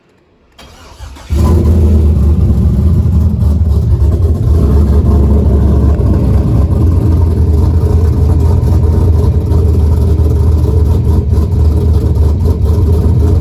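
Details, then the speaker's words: 6.0 LS built into 6.2 with TSP cam, 4L80 transmission, cold start after water pump replacement: cranks briefly, fires and settles into strong, even cold idle with steady lope and no knocks or ticks. "Alright, so I went ahead and hooked up the battery, and this is gonna be obviously a cold start since I changed the water pump."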